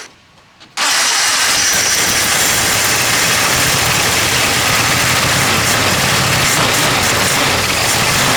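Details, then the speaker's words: Jeep CJ2A after replacing and repairing the carburetor float: after a quiet moment the engine catches at once and settles into a steady, even idle with no misses; starts normally, though little fuel can throw it off. "Alright, that worked out good. So you can hear there's a little fuel in it. It don't take much for it to throw it off."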